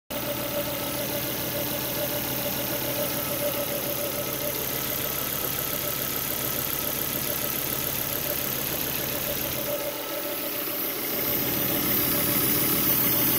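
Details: Volvo V70, first start after the air filter caught fire and the car died at 100 km/h, running with no air filter: steady, even idle with a smooth hum, no knocks or misses; runs fine.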